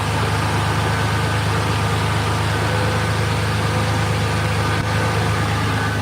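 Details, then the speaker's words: 1986 Chevrolet Silverado with a new aluminium radiator at idle: a steady, even rush of air as both electric cooling fans run and the oil cooler is on over a smooth low idle; normal cooling fan operation. "So all the fans are on. Well, you can see it. It blows. So, fan one, fan two come on, and the oil cooler's on. So, all that's working."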